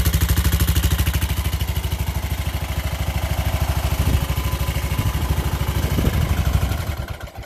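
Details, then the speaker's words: Craftsman LT1000 lawn tractor after swap to what is believed to be a 16.5 hp Briggs engine with the old carburetor, first start on choke: even, steady thump at fast idle, no knocking; runs well. "Let's put the gas on, put the choke on, and battery. Don't sound as bad as the old one either."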